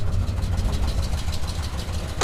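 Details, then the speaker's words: 1967 Buick Special with a 350 small-block Chevy and newly installed long-tube headers: a deep, lumpy idle with a sharp puffing tick on each exhaust pulse from a header collector gasket leak. "it's leaking exhaust from the this wly area think that's all the paint turning off oh yeah there's that leak right there collector gaset leak not super worried"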